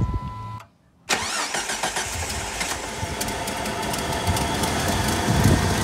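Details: 1997-2004 Jeep 4.0L inline-6, started after fitting a fuel rail and injector heat-cover kit, with an aftermarket Airaid throttle body/intake: the starter whirs briefly, the engine catches cleanly and settles into a steady, even idle with no misses or knocks. Normal start.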